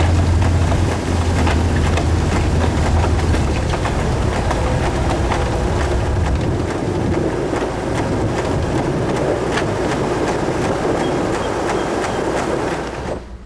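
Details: 2018 Ferrari with 42,000 miles, crash-damaged, being driven in sport mode toward the body shop: a rough swishing scrape repeats about four times a second over road roar as a tire rubs on the damaged bodywork.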